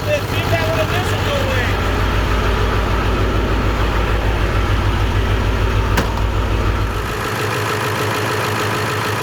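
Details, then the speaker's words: 7.3 Powerstroke diesel in a $300 auction truck, first run after purging air at the fuel filter; the fuel is brown and nasty. Heavy clatter with an uneven, loping beat that settles after about seven seconds. Rough running; a bad injector is suspected, others blame air and cold. "all right i'm thinking probably it's got a bad injector in it"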